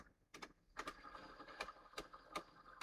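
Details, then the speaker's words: Sony DTC-750 DAT recorder, tape winding: sharp, slightly uneven clicks about every half second over a faint whirring transport; owner suspects a rubber-tyred wheel with a flat spot from long storage; clicking during tape winding. "Now, when I was rewinding it was rewinding slowly and then clicking and clicking and I think there's possibly you can hear"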